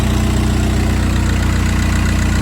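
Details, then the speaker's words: VW Jetta TDI after an AC compressor clutch replacement (the old bearing was very noisy): a steady, even diesel clatter at idle with no squeal or grinding from the belt side. The noise is gone. "I'll hop in the car and start it. And there we go. No more noise"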